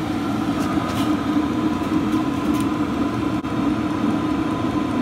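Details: Cheap eBay 12V 5kW diesel air heater on a bench test, heard at the exhaust: steady low drone with a constant hum, no surging or popping; burning evenly at full output, normal running.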